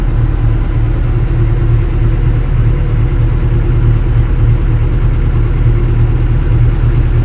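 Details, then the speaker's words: Kobelco SK200-10 excavator diesel after controller repair for a battery-charging warning, with the hour meter back to about 3,000: deep, steady, even idle with no misses or knocks, and the error is cleared. "Coba kita hidupkan engine engine sudah hidup"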